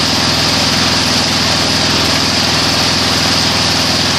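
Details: Weed Eater 22-inch front-wheel-drive mower, Briggs & Stratton engine, rescued from trash and repaired: steady high-pitched buzz at full throttle, smooth without misses or surging; analyzer shows about 2450 rpm low, 3100 rpm high (max 3200); healthy engine.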